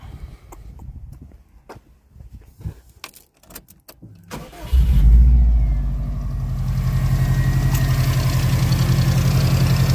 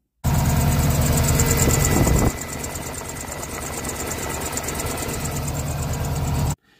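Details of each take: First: Subaru Impreza after A/C idler pulley replacement and belt retensioning: engine cranks, catches and settles into a smooth idle, the earlier belt squeak now gone. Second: Subaru Impreza at steady idle: thin high chirping squeak over the engine hum, believed to come from a worn A/C compressor idler pulley.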